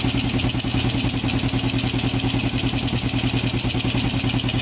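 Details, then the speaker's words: Yamaha Jupiter Z1/Z Robot single after engine rebuild for rough-sounding engine: even steady idle with a little intake rasp, runs smoothly; noise partly from air filter hose not yet fitted. "jadi untuk di bagian mesin Kalau menurut saya pribadi ya ini sudah lumayan Meskipun tidak 100% ya E di bagian e selang filter udara ini belum kita pasang ya jadi masih ada suara berisik ya"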